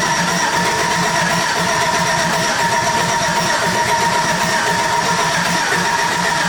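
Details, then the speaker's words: LS-swapped OBS truck, fuel pump bypassed: steady starter churning with no catch or firing. It cranks but won't start because the engine computer isn't hooked up. "it ain't going to turn on cuz the computer's not even hooked up the computer's over here is it hooked up yeah it won't turn on without it won't turn on now you got to do the computer"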